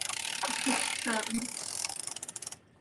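Quick, even ratcheting clicks about four a second as the carriage sweeps across, then stops cleanly; knitting machine running normally while ribbing.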